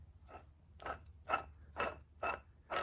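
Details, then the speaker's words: Removed water pump spun by hand gives gritty crunching bursts from shot bearings, which caused grinding under the hood; pump wasn't leaking antifreeze; replaced along with thermostat housing since engine only reached about 150 degrees. "You can hear the bearings in there. They're shot."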